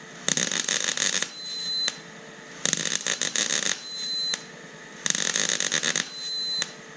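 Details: Intermittent bursts of hiss and rattle with a thin high whistle, about every two and a half seconds, from a tank valve in a shop during welding work on a 1993 Ford Bronco. Cause unknown; shutting and reopening the valve sometimes stops it.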